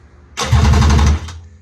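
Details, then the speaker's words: Budget 7-foot mini jet boat engine, first-ever start attempt on a new battery, fuse replaced, temporary starter/kill switch: short burst of fast, even cranking that never catches; crank no start, no fuel reaching the carburetors. "That thing sounds like it wants to run, too."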